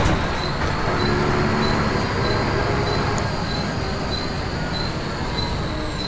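A thin, steady high squeal comes and goes over the bus's engine and road rumble; the source is unclear.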